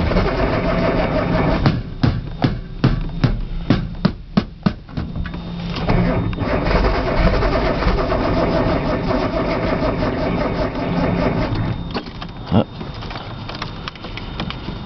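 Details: Nissan Z cranked cold outdoors with brake cleaner as starting fluid: an uneven burst of clicks and churning, then steady turning over without catching. Cold start valve was unplugged, the solenoid checked, and the fuel pump is heard; the cause is unconfirmed.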